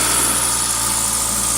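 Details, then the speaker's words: 2000 Toyota Celica GTS, 2ZZ engine, warm at 90 °C coolant, throttle cable disconnected, idling at 1800 rpm with throttle position 11–12%; steady raised idle hum, suspected extra air or vacuum leak, idle air control valve suspected. "engine speed at Holy Smokes 1800 RPM throttle position still at 12 percent cannot hold the throttle any more than that okay throttle position 11 12 percent something is not right here getting extra air somewhere"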